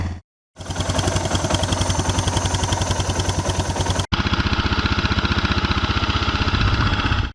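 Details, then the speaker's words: Suzuki DR650 after swapping the TM40 carb for a used carb, with the original tank and a rebuilt petcock, choke on: steady single-cylinder thumps with no tapping. Normal idle; earlier noise gone (TM40 suspected of running lean). "It's running good."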